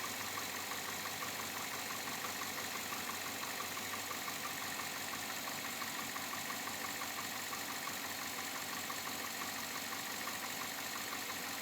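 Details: 2007 Chevrolet Avalanche, about 86,000 miles, at idle: light regular knock about two per second over a steady idle; owner unsure if bottom-end knock or piston slap, unfixed after four dealer visits.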